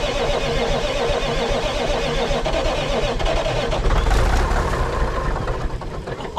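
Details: 1980s Marmon cabover semi with Big Cam Cummins diesel, unrun about 18 years: starter catches, engine fires into a rough but steady clattering idle that settles and keeps running; oil pressure only about 15 psi.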